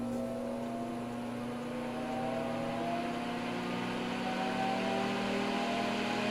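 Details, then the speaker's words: NOEVSBIG all-metal solder fume extractor fan started on high speed: smooth hum slowly climbing in pitch as it takes a while to reach speed, no rubbing or rattle; normal spin-up. "it takes a while to get up to speed but that's okay we'll crank it up a little"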